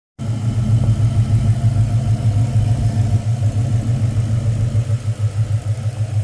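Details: 2000 Ford Explorer AWD, 302 5.0 V8 at idle: steady low rumble with an uneven pulsing beat underneath, no clear knock; abnormal engine noise recorded for troubleshooting, cause unknown.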